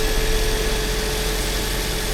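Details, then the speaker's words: Toyota Corolla after water pump replacement, idling in neutral to warm up while the cooling system bleeds: steady, even engine drone with a faint constant hum, no knocks, rattles or hunting; normal idle. "zakręcamy. Niech się nam maszynka grzeje. I niech się nam maszynka grzeje."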